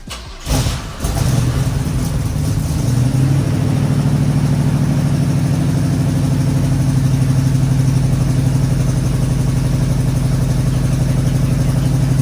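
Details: 1986 Oldsmobile Cutlass 442 G-body V8, just after an exhaust leak repair, catches after a short crank and settles into a steady, even, quiet idle with no ticking or puffing. Smoother than before the repair.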